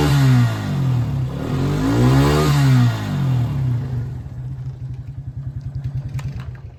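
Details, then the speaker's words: Quad bike with faulty burnt-out rectifier disconnected so no charging voltage reaches battery: engine blips up cleanly twice and settles into even quick idle, no stumbling or misfire; normal revving confirms rectifier fault. "Perfect. So there you are. Rectifier faulty."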